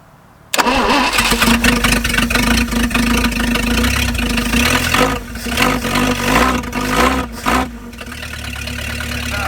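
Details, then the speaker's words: 1953 Packard straight-eight, cold start after long sitting, run from a temporary gas can and battery: cranks briefly, catches at once, settles into a smooth even low burble with no knocks or misses; normal running. "wow wow does that ever run nice"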